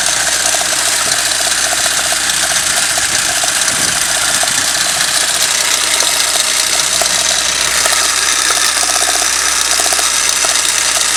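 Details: Toyota 5A-FE engine at idle: a light, regular knock tapping at engine speed from the front, behind the crankshaft pulley; caused by play in the crankshaft gear key.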